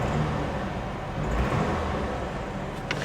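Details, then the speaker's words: 2004 Saturn Vue four-cylinder, manual, after being parked for years: steady, even low idle hum with no misses, knocks or squeals, purring smoothly. Normal idle. "And it's it's sitting here just purring like a kitten. Engine sounds good."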